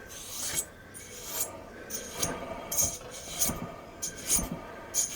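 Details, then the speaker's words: Viscous fan clutch from a 2004 Ford F150 Heritage 4.2 V6 with an accessory-drive squeak, removed and turned by hand in a bench vise: dry, gritty rasp in uneven bursts, clutch slightly loose; suspected worn bearing, not confirmed. "look in here there is a noise there sounds like a bearing going out of it the other thing is it's a little bit loose"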